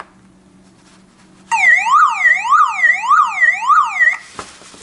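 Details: Car alarm's self-powered siren (6 V) wails up and down about three times a second when reconnected, instead of the car horn sounding the alarm.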